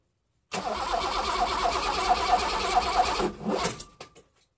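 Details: 1988 BMW E28 M5, cold start attempt one at about -6 to -7°C after a -32°C day, unstarted since. Starter churns about three seconds but the engine never catches. No start; it needed a boost, then started.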